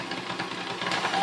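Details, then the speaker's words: Vintage KitchenAid 4C stand mixer before service, at speed 1: slow, uneven chuffing pulses under the motor hum, a slightly rough, lumpy run. The gearbox is suspected to need cleaning and re-greasing, unconfirmed. "We're going to turn it on and see if it runs. Alright, there's the first speed there, and it seems kind of slow"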